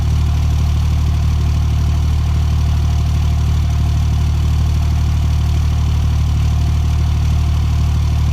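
Cold engine at idle with a steady low thump about three times a second, a rhythmic stumble that fits a cold-start misfire.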